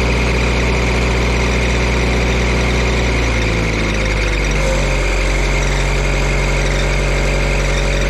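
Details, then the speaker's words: Auction-bought diesel welder that fell from a crane, settling at idle after isolator mounts were shimmed and tightened: steady thin squeal over the engine note; drive belt is quite loose and worn, slipping, to be tightened. "well I have no intention of keeping this unit but it does have the proper belt squeal all right the belt is pretty darn loose here as well as got some wear to it but it'll be fine for a while tighten it up get rid of that squeal"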